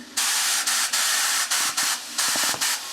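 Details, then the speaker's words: Push bike tyre that went flat, unused about 2 years, being pumped up with a compressor. Sharp hissing bursts of escaping air roughly once a second; the air is leaking from the tyre valve, not a puncture. "yep, that ain't good, is it? Yeah, it's definitely coming out, but where? Oh wait. Oh, it's just coming out the valve. That's why. It's just coming out the valve."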